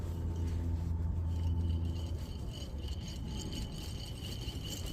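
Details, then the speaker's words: 2009 Honda Civic removed rear wheel bearing hub spun by hand, after a loud noise from the rear while driving; low rough drone with a gritty rattle that fades as it slows. Worn, grinding wheel bearing, replaced with a new hub. "so I don't know if you caught that guys when you spin this one is making a grinding"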